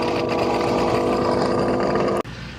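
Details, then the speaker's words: Dreame L10S Ultra Gen 2 robot vacuum-mop base station after first mopping pass of muddy paw prints, washing pads with hot water then sucking dirty water into the tank. Steady mid-pitched pump whir with sucking hiss for two seconds, then abrupt cutoff: normal dock suction. "Okay, it's going to return to the dock, wash the mop pads with hot water, then it's going to suck the dirty water up into the dirty water tank."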